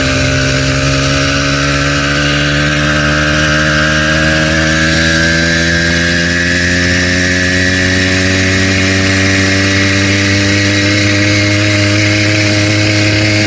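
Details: Brand-new stock 80cc two-stroke bicycle engine kit, straight out of the box, cruising through town: small engine buzzing steadily and rising slightly, with a rough, uneven knock in the beat, rod knock.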